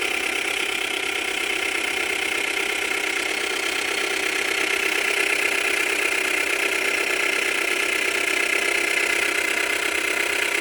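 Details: Subaru Tribeca B9 EZ30 engine, oil level normal: knock from cold, stays when warm, grows with rpm, clicks off then gradually returns; quick regular tapping about four per second over hissy idle; owner suspects chain tensioners.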